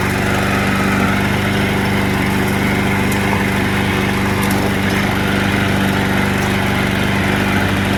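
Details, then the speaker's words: Curbside-found mower with auto choke, black oil and gas in the tank, first start: steady drone with slightly stumbling, uneven firing, described as a little rough. Fresh gas later made it run better. "it does sound a little rough I was just about to roll it into the back but I think I might have to work on it"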